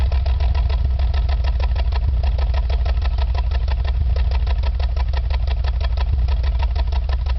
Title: Exhaust Misfiring